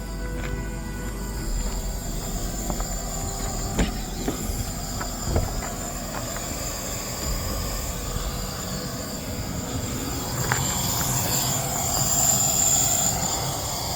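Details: DAF LF45 bus, engine off after air pressure built up: a steady airy hiss runs throughout under some knocks and handling; an air leak in the braking system when the brakes are applied, traced to an unidentified component.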